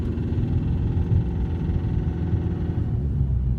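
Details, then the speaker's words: BMW 320d E90 N47 diesel, cold morning start, second gear coasting off throttle: fast even knocking over engine rumble; disappears after about 500 m and doesn't return all day, at any ambient temperature; cause unknown. "все это звук пропадает после того как я проехал метров 500 все в течение дня он не проявляется его никогда до конца дня нету только утром при любой температуре"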